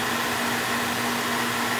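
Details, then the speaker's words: Beckett oil burner on a steel boiler after annual service, new tank filter and nozzle: steady even flame roar over constant fan hum, no pulsing or rumble; good oil flow, good over-fire draft, no leaks. "no filter red tank no nozzle good oil flow good draft over fire"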